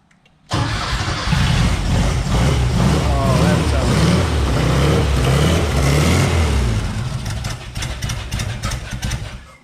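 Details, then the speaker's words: Porsche 914 with new 2-liter engine first runs, oil pressure gauge not hooked up: catches and settles into a low, loping idle that surges and dips; rough idle, owner suspects idle speed needs raising or timing needs adjusting. "maybe we need to bump that idle up a little could be idle could be timing who knows sounded a lot better that time though"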